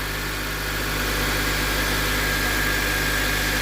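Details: 2004 Honda Civic Dimension 2.0, K20A engine, about 243,000 km, nearly 19 years old: smooth, even idle at about 1,000 rpm during warm-up, faint steady whine, no ticks, knocks or stumbles. Normal idle.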